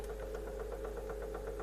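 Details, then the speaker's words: Sound A20 tape recorder with Collaro Tape Transcriptor deck, previously worked on, playing at the 15 speed setting; it doesn't wind as well as it should. Steady hum with a regular light knock about five times a second; knock source in the deck unknown. "play it it doesn't wind as well as it should under some knocking here from somewhere I don't know"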